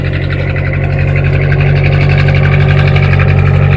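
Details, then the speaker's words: Atomic 4 boat engine, started by jumping the solenoid without choke after the problem was fixed: even, regular low thump about three beats a second, no misses or clatter; healthy idle, sounds much better than before. "oh it sounds so much better"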